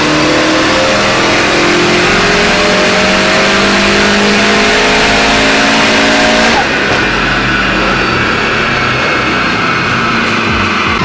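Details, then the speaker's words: Built Subaru STI hatch on the dyno at about 15 psi boost. The engine climbs hard under load, then the note abruptly dulls partway up. The wastegate line popped off, causing a boost leak. "guessing devon didn't zip tie the line on that's what that noise was all right let's go zip tie she definitely popped the wastegate line off"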